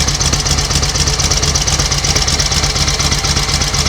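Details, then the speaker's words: 1938 Matchless Model X 990cc V-twin, started after several years laid up with the gearbox and primary drive rebuilt: slow, even thumping idle, no knocks or rattles, oil returning to tank; running beautifully. "B is running nicely take a bit of yes it will well that is running absolutely beautifully isn't it no Raffles no"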